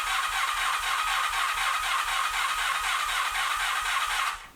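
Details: 1986 Honda VF700 Magna, first start after fuel system flush and carburetor cleaning: steady starter whir with even cranking pulses about four a second and no firing. Extended cranking to get fuel to all four carburetors.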